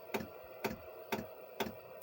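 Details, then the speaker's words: Chinese diesel air heater that lost heat and threw E10: sharp even pump ticks about twice a second over near silence, fuel apparently not reaching the burner and no heat; cause suspected contaminated fuel, unconfirmed. "obviously it's still lit because it's not getting any heat and it's not getting any heat because as we know there's no fuel going into the fire"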